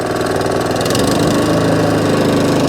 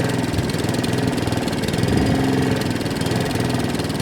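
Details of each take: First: Allett Kensington 20K cylinder mower, Kawasaki FJ100 engine, after carburettor and fuel system clean for hunting and surging: steady, even running with no hunting or surging at low or high revs. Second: Allett Kensington cylinder mower with Kawasaki FJ100 engine, before repair: revs wander up and down with a slight miss, hunting and surging blamed on a fuel delivery problem.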